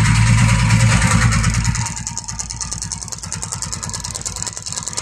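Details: TVS Ntorq scooter engine noise problem: engine runs with a rapid, fairly even clatter of about three beats a second; the abnormal noise is there but its source is unclear.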